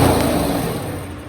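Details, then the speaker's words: Polaris 110 kids' snowmobile, non-starter: compression checked (110–140 psi expected) and spark confirmed, then carb cleaner sprayed into the cylinder gives a single strong firing burst that dies away. Fuel delivery fault; carburetor and fuel system next. "we have now verified that it will run and we need to move on to our fueling system and our carburetor"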